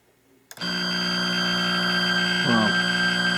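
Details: Atari Centipede cocktail arcade cabinet after reassembly: a sudden loud, steady electronic tone switches on and holds. It is caused by a shorted slam switch.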